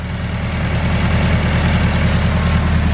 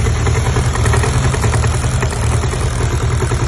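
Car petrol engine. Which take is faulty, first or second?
second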